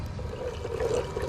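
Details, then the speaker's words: EG hatch water-to-air intercooler coolant circuit being filled and bled, running about 25% coolant: bubbling, gurgling water sloshing through the lines with irregular trickles. Air is still in the system and it needs more water. "it's circulating more now it's just got air in it you see it's getting all bubbly in there it needs some more water"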